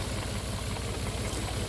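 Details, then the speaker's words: 2008 Volvo XC90 3.2 at idle, owner says it needs new coils and PCV, cylinder 4 misfire, EVAP and oil trap to check, oil change due: even, regular low pulses, now running quiet and smooth; normal idle. "runs a little nicer and smoother it's quiet needs an oil change oil changing filter needed see now it's running quiet and smooth"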